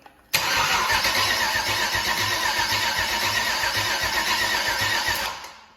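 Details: GM 6.0 LS V8 with 150k miles, first start attempt after purchase: starter spins at an even, quick chug about five seconds and never catches; no crank signal seen on the gauge, owner suspects a bad crank sensor.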